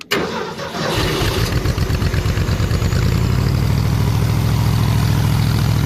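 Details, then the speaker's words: 302 engine, warm at about 158°F, after grounding the four unused plug wires to the block to stop arcing: cranks and catches, then a steady, even low idle with regular firing and no arcing snap or crackle. "Before, it arced like crazy, but I fixed that now since I ground those 4 plug wires to the block. But listen, I'll let you listen here."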